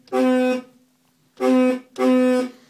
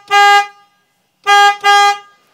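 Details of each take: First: 2003 Honda Element original horn before replacement: three short honks with a thin, reedy, goose-like tone instead of a firm blare; weak, failing horn. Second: 2003 Honda Element, old horn sounded like a goose, replaced with FIAMM low-tone Freeway Blaster, hood and bumper still open: three short loud toots, clear steady pitch, no rasp; quieter than hoped but strong.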